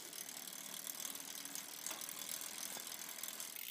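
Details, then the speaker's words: Campagnolo 11-speed bicycle drivetrain buzzing like mad as the chain runs, a fine dry rasp; vibration felt through the crank and pedal, front derailleur not touching the chain. "I can feel feel a vibration here in the crank feel it through the petal here"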